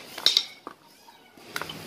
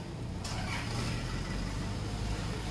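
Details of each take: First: Toyota Avanza/Innova propeller shaft cross joint (spider kit) flexed by hand during removal: short sharp high squeaks; needle bearings inside likely broken up and dry, joint being replaced. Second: Toyota Avanza/Innova road test after replacing dry spider kit (propeller shaft cross joint) that clicked in first gear off throttle: only tyre and road hiss and light knocks, no squeaking; driveline fixed.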